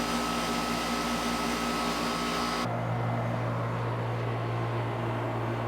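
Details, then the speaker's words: Noisy outdoor air conditioner unit after free and cheap quieting fixes, down from about 73 to 68 dB: a constant even drone and low hum, with the earlier high-pitched rattling and buzzing gone. "I don't have the high-pitched rattling that I was getting before and the buzzing I'm not getting before. So although it may not be substantially quieter, it's definitely less annoying in that I more have a constant drone and not the rattling and buzzing that I had before."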